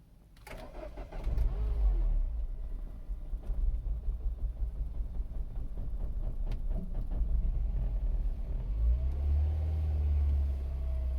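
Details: 2008 Mini Cooper S R56, 123,000 mi, cold start after sitting two days at about 50°F: cranks briefly, catches, then runs with an uneven, stumbling rough idle; cause unknown.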